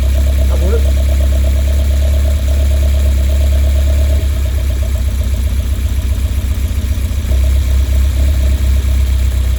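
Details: Westfield with Zetec Blacktop engine: steady idle with uneven stumbling beat and irregular missed exhaust pulses, a misfire at idle; cause unknown.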